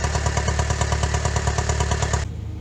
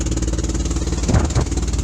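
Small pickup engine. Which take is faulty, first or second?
second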